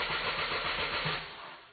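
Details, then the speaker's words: Mercedes C220 that died on the highway after a cylinder 3 misfire: starter cranks over a second without catching, no fuel pump buzz heard despite half a tank; fuel supply suspected. "so we're going to try this right now can I flip this camera around let's try this not sure let's do it this way here we go and I don't hear any fuel pump buzzing nothing not a kick nothing nothing nothing"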